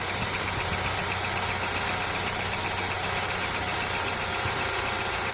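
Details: VW Polo 6N2 with a light, regular ticking at steady idle over a strong hiss; the car also has starter motor trouble (started by tapping it with a hammer) and an airbag light on; the cause of the ticking is unknown.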